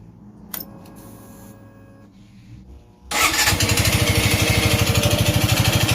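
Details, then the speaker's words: Suzuki Gixxer 155cc at idle: steady, fast mechanical clatter over the exhaust beat, an internal top-end noise; mechanic suspects the timing chain, excessive valve clearance or piston/ring wear, as the owner neglected the oil; engine noise, cause unknown. "Mir, aquí tengo una Suzuki Jixer, el cual tiene un ruido en el motor. Y vamos a echar andar para ver."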